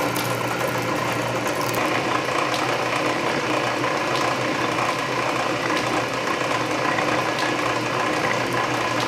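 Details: Canedy Otto drill press after re-lacing belts, drilling steel at low speed under power feed: steady geared whir with soft irregular feed-ratchet clicking; gear reduction torque masks the still-slippery main drive belt, which needs more lacing. Running properly.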